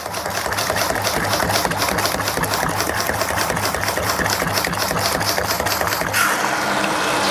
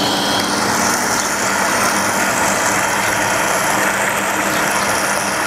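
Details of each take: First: Shimizu PC-260 BIT jet pump with its pressure tank removed and the tap turned down to a small flow: rapid chattering on-off pulses, about four a second, then a steady hum and stop; short cycling from running without the tank. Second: Shimizu PC-260 BIT jet pump with pressure tank removed, outlet fully open: steady, even motor hum with a constant rush of water, no surging or pulsing; running normally at full flow.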